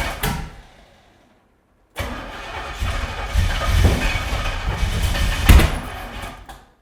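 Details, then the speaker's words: About 600 hp big-block Chevy newly installed in an 80s C10 squarebody, first start on the old starter: grinding cranking, then a rough catch with uneven pops, bangs and flames, a backfiring rough start from plug wires 3 and 7 being swapped. "Come on, baby. Keeps doing that. Going to look at it now. It's shooting fire."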